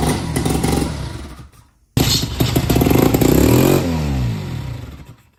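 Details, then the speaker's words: 1952 Johnson SeaHorse 10hp outboard, first start after being found discarded, with a little fuel squirted into the cylinders and plugs hand-tight. First pull catches briefly and dies, second fires into a steady, even two-stroke beat on both cylinders. "It definitely sounds like it's running on 2 cylinders."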